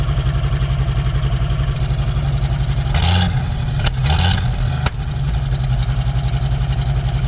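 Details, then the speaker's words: 1966 Ford Bronco, sat years, carbureted with timing off: low lumpy idle with uneven thump and skipped beats; plug check shows cylinders 3 and 6 dead, not firing; exhaust leak underneath also noted. "i was pulling plugs and three and six decided that they're not doing anything and they're not really compensating much"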